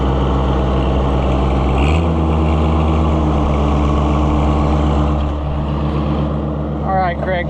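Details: Oliver 77 gas tractor, not run for a while, just started after the carburetor was tapped: settles into a steady low thrum after a brief step up in speed, firing evenly without stumbling; runs healthy.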